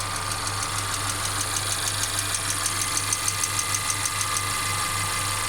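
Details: Mercedes CLA 250 at idle: sharp, light clacks about three per second over a smooth idle hum, coming and going; intermittent engine clacking; car also stutters when accelerating after long slow driving.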